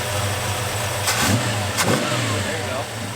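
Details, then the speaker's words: 1973 Plymouth Scamp V8 freshly revived after sitting since 2004: an even idle with two quick, clean throttle blips that rise and settle without stumbling, zippy with a mild cam lope and no blow-by noted. Normal throttle response. "it runs good it's smooth it's uh it's got a little bit of a cam lobe to it it it's zippy like when you when you tap the throttle it uh the revs come right up"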